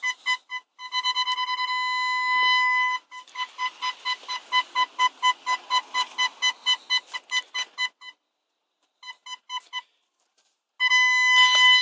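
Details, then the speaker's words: MG ZR Turbo with a newly fitted reverse parking sensor wired to the reverse light: quick, clear beeps around a kilohertz that speed up and go steady as it detects objects on the floor, stereo not muted; it works normally. "Hear that beep? And the stereo didn't mute. As you can hear, it's going off. At the moment it's detecting the stuff on the floor, if you walk near it."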